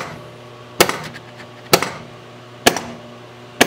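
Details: Williams System 6 Scorpion pinball with a repaired driver board (bad transistors), in solenoid test: a pop bumper coil gives four sharp, clean clacks about once a second over a faint hum, each strike even: normal firing.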